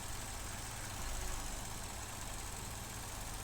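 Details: 2015 Vauxhall Corsa E 1.4 Ecotec, warm idle, codes P0300 misfire and P0171 system lean, complaint of misfire and lack of power: uneven lumpy idle with a wavering thrum; suspected faulty MAF sensor or air leak, not confirmed.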